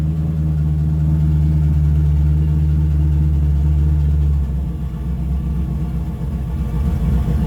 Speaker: even just throttle response it's got even better guys let's just blow me out of the water